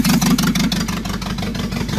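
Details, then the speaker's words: Renault 18 2.0 engine, exhaust pipe disconnected (open exhaust): loud, choppy idle whose revs sag and turn lazy as the distributor is turned to retard ignition timing; revolutions fall, engine reacts less. "Now, what I'm going to do is delay the distributor, notice how the revolutions fall there Revolutions fall"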